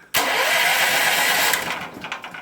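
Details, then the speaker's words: Powerhorse 9000ES generator after new solenoid fitted and switch temporarily reconnected, carburetor superficially cleaned, no air filter: brief crank, catches straight away and runs steadily; clean electric start. "i'm just putting everything back the way it was except with a new solenoid so all right i've got the battery hooked back up and i just hooked the switch back up temporarily let's see what happens"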